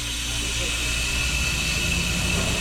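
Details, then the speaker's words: Hoshizaki ice maker, water inlet solenoid valve opening during the defrost cycle: steady rushing water hiss with a faint high whistle over machine hum; the valve is open and filling normally, closing on its timer. "this is our water inlet solenoid valve it opened up and it's trying to go through a defrost"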